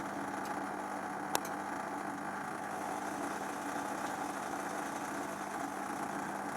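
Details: Zanussi XC FJS1225 Jet System washer, 5 kg, 2003 serial: steady low even hum, no grinding or rattle; drain pump running normally.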